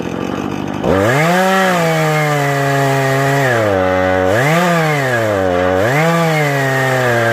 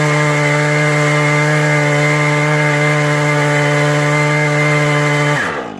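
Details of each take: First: Husqvarna 435e on Granberg G777 Alaskan mill with 18-inch ripping chain: two-stroke note sags and wavers as chain loads in the cut, never holding full revs; bogging under load, underpowered saw. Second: Husqvarna 435e on a Granberg G777 Alaskan mill with an 18-inch ripping chain, cutting lumber at full power: a high, steady scream holding constant pitch through the cut with no bogging, then dropping off.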